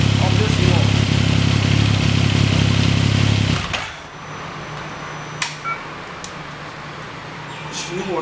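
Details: 2014 Yamaha MT-09 triple, 28,000 km, with the auto cam chain tensioner slackened on purpose: quick, regular metallic chatter over the idle for a few seconds before shutdown is cam chain slap. Rattle first appeared around 6,000 km. Fix is an M6×25 bolt lightly bearing on the tensioner, not overtightened.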